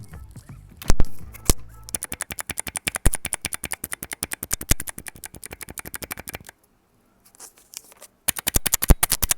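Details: Mechanical keyboard after switches were opened and lubed by hand: steady run of even, soft keystroke clacks at several per second with no scratch or spring ping; smooth, well-lubed switches.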